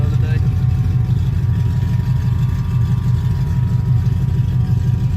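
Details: 1985 Chevy C10 with a Vortec 350 and Lunati cam, after three failed NGK TR55 plugs were replaced with old Autolites. Deep, steady V8 idle with no miss, now running on all eight cylinders.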